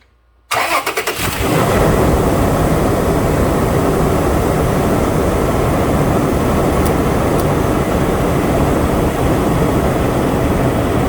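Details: 2009 Toyota Tacoma, cold start after a drive-belt repair for a squeal heard only on cold start. Cranks, catches quickly and settles to a steady, even idle with no squeal or chirp. Healthy running.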